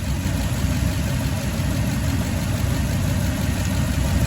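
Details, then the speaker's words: Toyota Tundra V8 at idle, recorded at the passenger-side bank (cylinders 2, 4, 6, 8): low, steady rumble with an uneven skipping beat; misfire, number 6 coil pack shows no change when unplugged, pointing to a bad coil. "So, like I said, this engine runs really smooth as it is, but it is in fact skipping."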